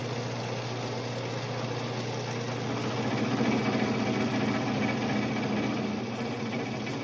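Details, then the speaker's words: Vintage Craftsman 109 mini lathe taking a rough taper cut on a 1" UNC nut, compound at an odd angle, with cutting lube, audio sped up: a steady hum with a rough fluttering buzz; quite a bit of tool chatter. "Um, as you could see, even though I sped that up a lot, you could you could probably still hear and see it. There's quite a bit of chatter."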